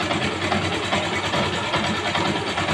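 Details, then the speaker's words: Motorcycle engine at idle: a wavering whoo-whoo scraping whirr inside the engine over the beat, like something rubbing; likely a damaged bearing, not confirmed. "Parang may kumakayod sa loob. Ha? Yung sound na whoo, whoo, whoo, whoo."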